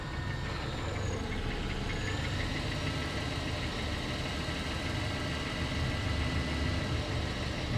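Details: Mercedes C280 W204 with M272 3.0 V6 at idle: dull rhythmic knock under the engine hum, seeming to come from deep inside; cause not pinned down.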